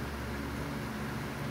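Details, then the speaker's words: Dayton 1LPN8 AC gear motor, oscillator for an outdoor greens fan, after regreasing gears with marine grease and reassembly: quiet steady low hum, no rattle, scrape or buzz, rotating again, repair fixed it; normal running. "i hear it and yep there it goes it is now rotating again and that fixed it"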